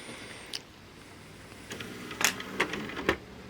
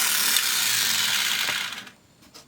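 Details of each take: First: And now that the tray is all put back together, the drives all put back together, you can see now the disc stops when you hit open. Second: Samsung Blu-ray player drive, before the tray repair: after pressing stop and opening the tray, the disc keeps spinning and a fast, dry ratcheting clatter lasts under two seconds. Tray gear ratcheting; a broken or stretched clip is suspected.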